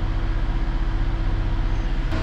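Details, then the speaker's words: Vauxhall Insignia at steady, even low idle with a smooth pulsing rumble, no knocks or misses, after repairing a faulty temperature sensor; gauge now reads 50 degrees, engine knows it's cold and runs much better, radiator fan still running. "we can see the temperature gauge now sitting on 50 degrees so it knows it's now cold the engine runs a whole lot better"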